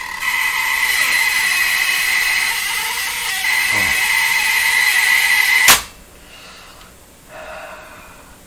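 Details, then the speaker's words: Bang & Olufsen Beocorder 2000 De Luxe tape deck in play: loud harsh buzzing rattle shaking the deck for several seconds, stopping at stop; strong transport vibration, source unknown. "that is putting such a vibration into all this yikes what what is it what is it i would even figure it out i mean any one of these could be making that sound"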